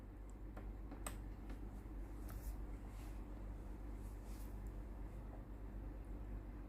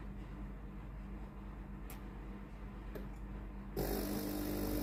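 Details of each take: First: Tefal steam iron GV8950M0/23, no steam output: faint steady hum then one sharp click near the end as the water valve resets; pump then runs but pushes no water into the boiler, pump faulty. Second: Tefal GV8950M0/23 steam iron, water pump tested after no-steam fault: even pulsing buzz about four beats a second over low hum, then steam rushes in; pump runs normally and the iron is ready.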